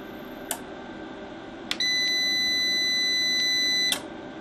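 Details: FSP Champ 1 KVA online UPS, no load connected, switched off: a steady high double-pitched beep holds for about two seconds. Normal shutdown beep.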